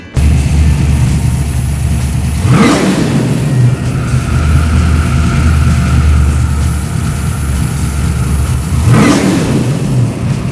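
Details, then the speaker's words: Holley 4150 carburetor with four-corner idle, after tuning: two hard throttle blips from idle climb cleanly with no hesitation. The primaries-to-secondaries transition is smooth, with no bog. "Now, if you listen to that transition, you notice it was smooth. It wasn't like a a hesitation. It went right from the primaries to the secondaries, and the engine continued to accelerate up and ramp up smoothly."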